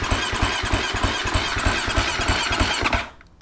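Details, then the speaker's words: Husqvarna FC250 that won't start after a day of riding; fuel line off at the tank with power on, starter cranks steadily about three turns a second, no fuel spurts and never catches; bad fuel pump suspected, later confirmed and replaced. "nothing I suspect we have a bad fuel pump that sucks"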